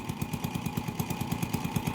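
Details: Honda TMX 155 single-cylinder motorcycle with hard starting, misfire worse uphill, no pull; owner replaced CDI without fix. Fast popping idle with uneven beats, some firings weak or dropped; spark plug found defective, spark not staying at electrodes.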